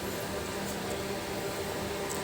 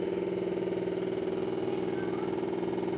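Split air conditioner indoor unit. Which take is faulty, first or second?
second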